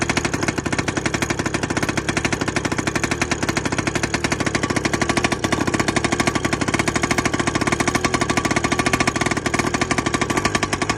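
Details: 1960 crawler tractor, old engine cranking with rapid hammering pops that go on without letup as it struggles to catch; hard starting with uneven firing, cause not evident.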